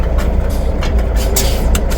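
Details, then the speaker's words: M916 with Cummins 400 Big Cam 3 and Caterpillar 16-speed semi-automatic air-actuated transmission, at idle: low engine rumble with a couple of short dull knocks as the air shift engages cleanly. Normal engagement. "and you'll hear it engage. So you heard it engage."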